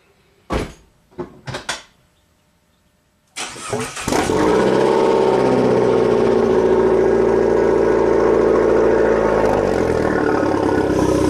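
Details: 2015 Fiat 500 Abarth 1.4L turbo, 67k miles, first start after replacing a failed turbo that pumped oil, with an aftermarket unit: starter whirr, then a steady, even idle with no knocking or rattles; heavy oil smoke follows from the exhaust.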